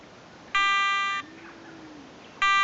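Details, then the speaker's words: Garrett ATX pulse-induction metal detector during its roughly 30-second frequency scan, picking the quietest frequency: steady buzzy tone about two-thirds of a second long repeating about every two seconds; normal operation. "okay it's running through the frequency scan process now just scanning all the available frequencies and it's going to pick the quietest one"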